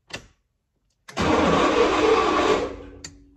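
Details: 1966 Toronado barn find, neutral safety switch reinstalled with dielectric grease: a click, then the starter spins the engine in one strong, even burst of about a second and a half. It engages properly.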